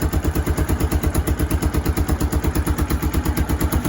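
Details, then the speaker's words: Kawasaki KLF300 Bayou 4x4 ATV, warmed up; plug, coil and cable suspected, airbox being resealed. Ticks over fine, but coming off idle it gives a horrendous misfire: rapid machine-gun popping and backfiring, about three bangs a second. "So we're back to this kind of, sounds like a horrendous misfire when what? When it comes off of idl"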